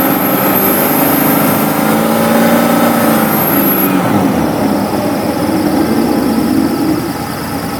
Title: Engine High Pitch Whine Noise 2